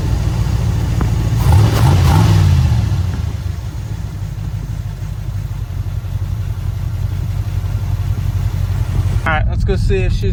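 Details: 1983 Capri after refitting the exhaust manifold on the bad side, temporary fix until headers: engine blips and settles to a steady low rumble with no puffing or ticking; exhaust leak fixed, normal running.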